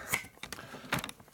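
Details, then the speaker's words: 1972 Harley-Davidson Sportster XL wheel rebuild, spinning on a truing stand: sparse light ticks where the rim's high spot brushes the pointer, showing the rim is out of true and needs spoke adjustment. "and I don't even use an indicator I just go by noise when I hear it Go tick tick tick I know where the high spot is just by looking at it or by listening don't even have to look at it"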